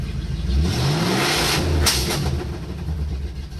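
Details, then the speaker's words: 1984 Chevy C-10 with a 350 4-bolt-main V8, a Holley carb of about 650, and an automatic. It revs up and falls back with a ragged, uneven beat and a heavy exhaust smell. Owner suspects too much carburetor, carbon buildup or wrong spark plugs; rough running, cause unconfirmed. "You hear it just running for dog shit now. Smells of exhaust, but a little heavy, if you know what I mean."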